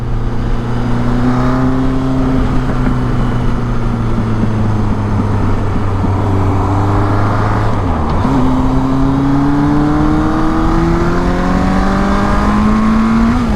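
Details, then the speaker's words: 1983 Suzuki GS1100E custom, first ride after a 3-year build, carburetors readjusted after running rich: inline-four pulling through the gears, pitch rising and falling with throttle, exhaust popping under the engine note. "listen to that popping on that thing i don't want to get on it too hard though motor ain't quite broken"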